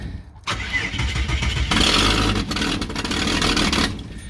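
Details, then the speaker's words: Ford XG ex-police divisional van, first start after fitting an AU Ford catalytic converter: brief crank, then a harsh, very loud blatting roar; exhaust blowing out the open oxygen sensor port because the sensor was left out. "Okay, that was extremely loud. What's going on? What is going on? What is going on? Why? Oh, I was going to say I forgot to put the oxygen sensor in."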